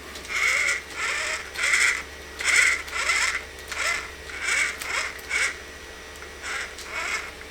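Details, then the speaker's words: RC crawler (2-door Mojave build) with a Zoku RC VS4-10 flat rail kit conversion, wheels turning. Chirpy high squeaks repeat unevenly about every 0.75 s over a faint motor hum. Owner suspected the transmission, but the gears checked fine. Drivetrain squeak of unknown source. "Interesting. I don't know why that's making that sound. Maybe there's something wrong with the transmission. Maybe I'll have to take that apart. I did. It's definitely not the gears. The gears are fine."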